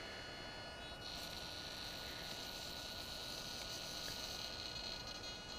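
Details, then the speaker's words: DJI Phantom 2 Vision camera pitch gimbal, owner's first Phantom with original servo (compared against replacement Hi-Tec HS-5055MG digital servo), pitched down via smartphone camera control: thin steady high-pitched servo whine, noisy and jerky motion. "this is my first Phantom I'm going to pitch the camera down with my smartphone it's noisy"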